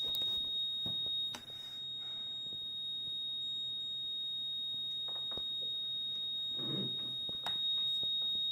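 A steady, unbroken high-pitched beep near four kilohertz runs the whole clip in a quiet room; the tester won't stop beeping, cause unknown.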